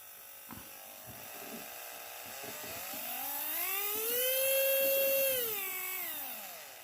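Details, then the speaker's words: FLY Renault 5 Turbo 1:32 slot car motor, body and axle removed, run at very low speed: clean whine climbs, holds steady and winds down, no catching or rasp; normal motor run, possible gear mesh issue suspected. "Okay so motor's running perfect very low speed nothing wobbling around"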